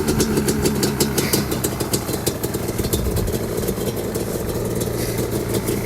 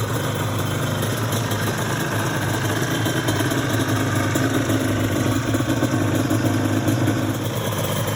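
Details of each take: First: Yamaha Banshee two-stroke quad with FMF exhaust, after sitting 14 years, before teardown: crackly idle with uneven revving blips, popping and ringing; runs okay, but idling and revving don't prove it has power. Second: Restored Yamaha Banshee two-stroke twin quad, saved after sitting 14 years, in show condition: an even, crisp burble held steady at idle with no misses or rattles. It idles cleanly and sounds healthy.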